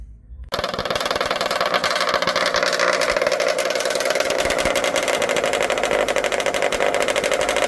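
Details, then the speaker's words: 1979 Ski-Doo 9500 mod sled two-stroke, twin Mikuni carbs with 50 pilot jets, air screws 1.5 turns out, compression 130/125-127: loud, rattly, uneven sputtering idle running rich; 50 pilot too aggressive, moving down to 45. "Alright, got to move down to a 45 on the pilot jet. 50 was a little aggressive."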